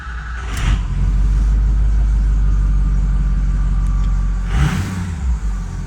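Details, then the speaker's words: 2006 Ford F350 6.0L Power Stroke diesel idling after alternator replacement, MAP sensor hose replacement and EBP sensor cleaning, no check engine light: deep steady rumble, even firing, no knocks or misses; sounds healthy though owner suspects low power uphill. "go see to me the engine sounds good but I don't know the 6.0"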